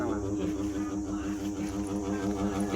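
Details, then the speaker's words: Evaporative air cooler fan, still working with lights on: loud humming drone throbbing about five times a second. The owner suspects a loose bearing; cause unconfirmed. "วิธีได้มามันยังดีอยู่นะทุกคนดูไฟก็ยังติดอยู่แต่ว่ามันเสียงดังเนี่ยเห็นไหมคะ"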